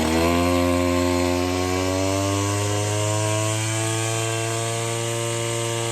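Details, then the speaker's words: Stihl FS66 two-stroke brush cutter after fresh 50:1 fuel and cleaning, H (high) mixture screw being turned near full throttle: pitch creeping up as screw turns, bogging one way and sputtering the other; incorrect carburetor mixture during adjustment. "So I'm going to tweak the high idle, and you'll hear the machine bog down, and then I'm going to come back the other way, and you'll hear it start to sputter."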